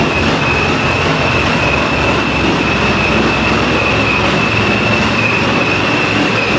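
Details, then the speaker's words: 441 LSX C6 Z06 with F-1X ProCharger, ARH headers and straight-pipe exhaust, E85/methanol tune, first start-up: very loud raw rumbling idle with a steady high supercharger whine, even with no misses; engine light possibly from evap delete. "That was obnoxiously loud. I saw the engine light came on."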